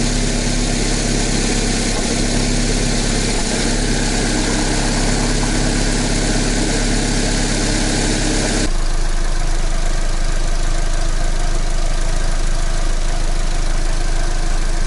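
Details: Chevrolet Cruze, Z18-family 1.8 engine, 239,000 km, after budget repair of a piston knock: even, steady idle with a smooth low hum and no knocking or ticking. Runs cleanly and sounds healthy.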